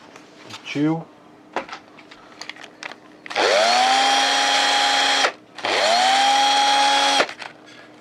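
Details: Old cordless drill-driver connected to a finished homemade power supply built from used parts, replacing its dead battery: two clean bursts, motor spins up fast to a steady even whine and holds speed; working fine.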